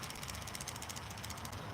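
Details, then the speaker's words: Mrs. Claus animated Christmas figure gearbox, greased the day before: fast, steady ticking about eight clicks a second from the small gear drive, like a tooth catching each turn; cause suspected, not confirmed. "I'm just going back into this mrs. Claus because I greased her gears yesterday and now she has this ticking noise"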